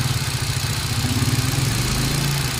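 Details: Hyundai Accent with code P0300: uneven lumpy idle with stumbling exhaust beat, random misfire; cause not pinned down.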